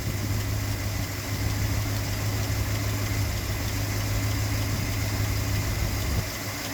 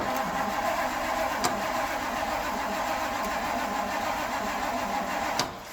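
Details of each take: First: Classic Ford V8 first start in years, after a front coolant leak (water pump or thermostat housing suspected) stopped: low steady burble at idle, even beat, no knocks or misses; healthy. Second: Classic Ford cranking on a jump pack, no choke, after years of sitting: steady cranking drone for about five seconds, slow cranking, no firing; crank, no start.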